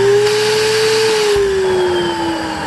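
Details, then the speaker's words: Panasonic Jet-Flow canister vacuum on highest (rugs) full-power setting: steady high motor whine sags slightly as the suction relief valve opens and vacuum gauge swings left, normal by design. "when you get up to the highest one rugs with full power you're going to see the VAT gauge actually slide across to your left and you'll hear the little relief valve blow"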